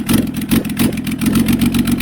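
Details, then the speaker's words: Toyota Land Cruiser HDJ100 1HD-FTE diesel, flooded in 2022, first start: harsh uneven chuffing pulses over a rough idle; heavy blow-by, possibly stuck rings. "yeah that's a lot of blow boy it could be stuck Rings"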